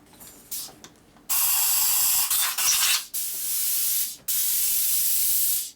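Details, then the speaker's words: 2001 Gilroy Indian Centennial Chief carburetor choke circuit: short bursts of compressed air hiss thin and choked rather than free-flowing; passage plugged, low volume, flows much better with a bigger tip. "This doesn't sound very open. This is plugged up. Low volume through here is the problem."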